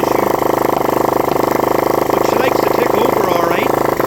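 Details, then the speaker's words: Rebuilt spare Honda CB125RS single: revs out fine but won't idle, thumps along at a fast, slightly uneven high idle or stalls; owner plans a new set of points; rough idle. "It will rev out good, but it does not want to idle. It wants to stop unless it's idling at a kind of a high idle."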